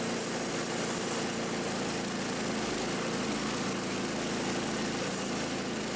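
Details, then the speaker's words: Ariens Compact 22 snow blower repowered with a replacement engine, at full throttle measured on a tachometer: a steady high drone at about 3,500 rpm against the original Subaru spec of 3,600 ±100, slightly slow, so the governed speed screw needs backing out slightly. "so so as you can see we're running about 34 3500 rpm now our manual with the original subaru engine called for a running rpm of around 3 600 rpms plus or minus about 100"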